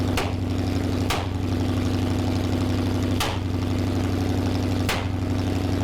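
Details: Freshly built Mopar 360 V8 with a hydraulic flat-tappet cam, from a 1974 Plymouth Duster, at first fire-up: steady idle broken by sharp pops at uneven intervals; it misfired and timing couldn't be set because two spark plug wires were accidentally swapped.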